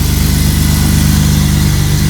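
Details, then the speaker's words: BMW E36 M50 inline-six after cold start, following drift-use maintenance with belt tensioner/idler pulley replaced: smooth steady idle, even low hum, no squeal, chirp or rattle from the belt; earlier awful pulley noise gone; normal idle. "Il n'y a plus le bruit du galet comme avant. Il y avait un bruit dégueulasse. Là, il n'y a plus du"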